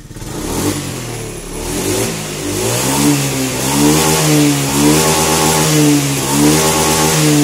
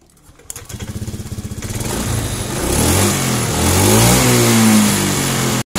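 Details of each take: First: Honda Scoopy injection scooter after fixing hesitation (brebet) on throttle and adjusting idle screw: small single revs rising and falling cleanly, no stumble or misfire; normal revving. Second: Honda Scoopy fuel-injected scooter, hesitates when throttled, spark plug cap replaced, TPS sensor being adjusted while running: blipped revs climb unevenly with stumbling, sputtering pickup, still hesitating before shifting TPS upward.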